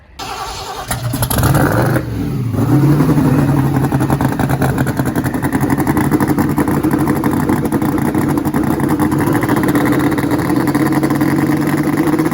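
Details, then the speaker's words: '56 build V8 first fired up after being saved, coolant just added: catches and settles into a lumpy idle that stumbles unevenly with cylinders dropping out, and it won't rev. Misfire. "when he first fired it up I'm sure you could hear the uh misfire that it kind of has an RPM um where it like literally just wouldn't RPM"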